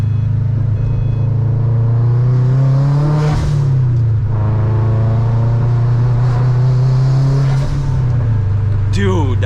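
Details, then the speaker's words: Subaru WRX with ETS front-mount intercooler, speed density tune, Precision 50mm blow-off valve: steady low engine drone, then quick fluttering chatter each throttle lift while driving; compressor surge flutter. "i'm sure some of you guys are gonna comment saying like that a compressor surge is not good and stuff like that"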